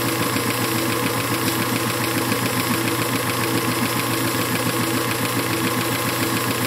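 Steady, even hiss of the tool cutting aluminium over the lathe's running drone, with no chatter or squeal: a clean cut.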